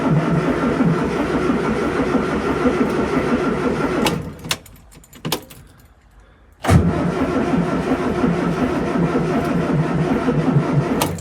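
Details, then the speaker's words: Morris Minor cranked out of gear after 12 months in storage, fuel pump ticking first: sluggish uneven cranking at about three turns a second that pauses and drags, never firing; dead battery. "No dying battery. That's a shame. I thought we'd get something a bit more exciting than that."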